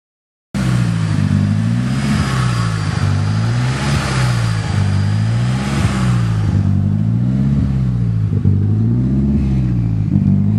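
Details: Swapped-in Nissan SR20DET idling with speed surging every couple of seconds and a lumpy note. It was recorded with timing set to 15 degrees; the CAS was ruled out and the engine was overheating. The cause was incorrect ignition timing.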